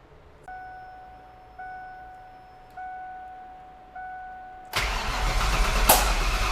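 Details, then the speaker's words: 1988 Foxbody drift car: chime pulses, then brief cranking with no catch, sounding like only half the cylinders fire. The distributor was 180 degrees out; reversing it made it sound better. "Cuz it sounds like we're only firing like half cylinders."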